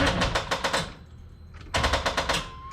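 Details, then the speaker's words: Carbureted Corvette that won't start, fuel pressure gauge inline reading about 5-6 psi; key turned gives rapid even clicking bursts, several per second, no cranking: dead battery chattering solenoid, jump pack fetched. "battery is dead so i'm gonna get my jump pack"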